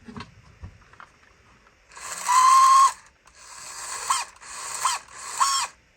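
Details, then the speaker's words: Vintage RC truck spinning its motor unloaded with the case back on; short bursts of high whirr with a harsh ratcheting rattle like stripped gears, owner suspects a damaged pinion gear needing repair or replacement. "I guess when it doesn't have any weight on it it does that it uh sounds like a strip in the gears"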